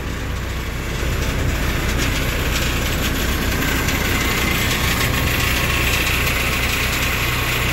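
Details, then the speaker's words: Diesel bus idling at a fuel station with an uneven thudding rattle, about two or three beats a second. Something on the body seems loose, possibly bolts; suspected, not confirmed. "kalau yang di Prima di Adi Prima tu ya agak sedikit bunyi apa ya Bunyi guduk kayak ini ya kendor apa ya lah berisik"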